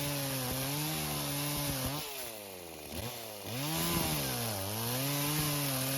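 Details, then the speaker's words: Stihl chainsaw revived after years neglected in a barn, carb idle adjusted: two-stroke wail bogs hard each time it bites wood then recovers; engine runs but chain is dull and loose, oiler working but low. "I really do have to apologize, I forgot just how dull that chain was. And I thought I was going to do a whole lot better than that, but I was wrong."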